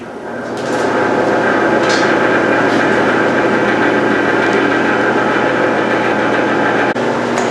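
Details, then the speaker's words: Exhaust fan of the bluing system, running: steady whir with faint irregular rattle, a little noisy because the fan and parts are not yet tightened down. "So I have the fan running right now. You can hear it. It's a little noisy, but it's just because I don't have everything tightened down."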